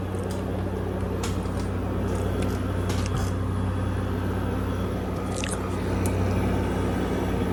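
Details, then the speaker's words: 2016 Frigidaire 5,000 BTU window air conditioner starting up and running; steady low hum, constant fan whoosh and a few light clicks, even and unchanging; owner says it works perfectly with no problems: normal running. "everybody, this is a 2016 Frigidaire window AC, and it's 5,000 BTUs, and this thing works perfectly. It doesn't have any problems."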